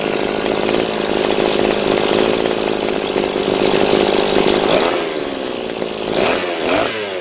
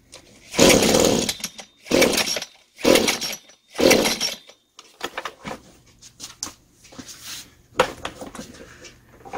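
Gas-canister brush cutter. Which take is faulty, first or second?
second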